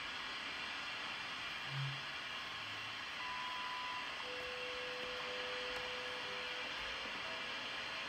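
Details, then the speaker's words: Kmoon FY6800 frequency generator and counter zero-beat against WWV 10 MHz on a radio: hissy shortwave static with a faint tone wavering against the carrier in a slow heterodyne beat; generator off by about 0.0002 MHz. "yeah you can hear it now pretty good yep so i'm off a bit i'm off like 0.0002 megahertz on this counter"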